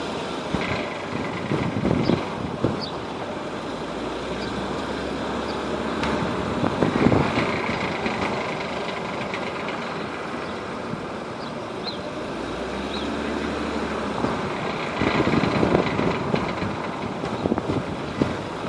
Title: W210 rattling noise